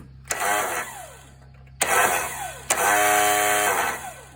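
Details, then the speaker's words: Yard Machines engine recovered from a scrapyard: three high whirring spin-ups winding down freely with no cranking; the starter spins but its gear never engages the flywheel. The suspected cause was battery cables connected in reverse polarity. "so the starter turns but the gear is not spinning so uh see what's wrong with that"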